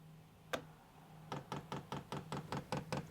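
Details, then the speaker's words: HCalory Toolbox 2 12V diesel heater on 12V DC power from a power station, priming via up and down arrows: a single tick, then steady crisp clicks two or three a second over faint hum as the fuel pump primes normally. "And you can hear that oil, you can hear that pump starting to pump that diesel fuel."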